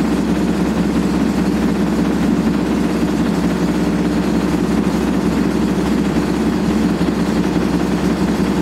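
A loud, steady roaring rumble through the whole spin with no let-up, typical of badly worn drum bearings.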